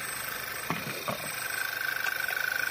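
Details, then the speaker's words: Skoda Octavia running rough, codes P0299, P0507, P2279, P0171; oil filler cap sucked onto engine, steady hiss and whistle at open filler over pulsing idle; crankcase ventilation valve leak suspected. "zischt immer noch. Man hört auch, dass der Motor reagiert und die Ursache ist nämlich dieses Ventil."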